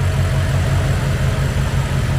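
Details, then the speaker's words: BMW X6M V8, forged build rated 1200 hp capable, M5/M6 intercooler swap, first start-up after reassembly, untuned: deep, steady burble with an even low pulse and no knocks, ticks or stumbles; normal idle. "Everything put back together. Idling smooth."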